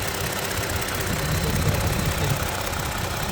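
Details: 2017 Toyota Sienna V6 with check engine light, injector imbalance code, random multiple misfire on cylinders 3, 5 and 6: uneven lumpy idle with stumbles; dirty injectors, spark plugs and coils fine, fixed by cleaning injectors.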